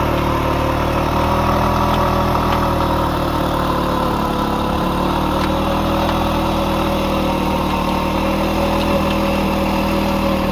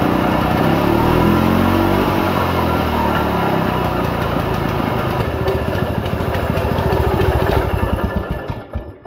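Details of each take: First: Restored 1940s Simar two-wheel tractor rotary tiller, single-cylinder engine while tilling: steady, even putter with no knocks or stumbles; starts easily and runs smooth and healthy. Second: 1940s Simar two-wheel tractor rotary tiller being revived, carb just primed: its single-cylinder thump runs unevenly, slows and fades out. Idle is set too low and the engine stalls.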